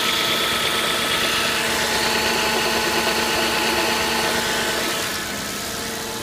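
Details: 2006 Audi A6 at idle: busy metallic chatter high over the engine, about three ticks a second, fairly regular; timing chain rattle that has worsened or changed. Cause suspected, not confirmed.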